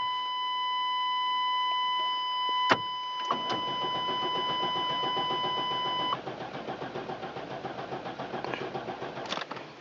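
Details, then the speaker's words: Safari van that sat unused, cranked at 14°F in wind: a steady chime, then the starter grinds at about four turns a second with only brief catches, so it cranks but will not start; ignition suspected, and the distributor cap was found corroded. "you to let off key it'll fire a little bit it'll it'll run out a little bit but not much and not enough to get it going"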